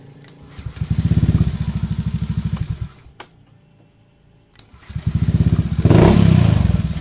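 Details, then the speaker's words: Honda Beat PGM-FI ESP injection scooter, after the dirty starter relay was cleaned with sandpaper and charging read 13 V DC: starter spins briskly, engine catches into steady idle. Smooth, normal electric start; the new battery had been draining. "Alhamdulillah para Predator semua jadi permasalahan untuk akibat baru yang tidak bisa mengisi atau drop ya untuk tipe motor Honda Beat injeksi pgm-fi ESP yang menggunakan yang menggunakan elektrik starter yang halus ya"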